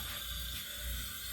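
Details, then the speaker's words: Steady, even hissing roar with a low rumble and no sputtering or popping. A restored Albert Lea Foundry Tourist camp stove's burners run normally after generator preheat, with gas feeding the secondary burner. "Then we can get some gas coming down to the small end, or to the secondary end. There we go. And we have a functioning stove, folks."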